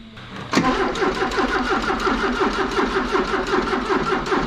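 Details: 1984 Porsche 944 that sat for a couple of years, power confirmed at coil: steady rhythmic starter cranking about four turns per second, never firing, battery getting low; crank no start.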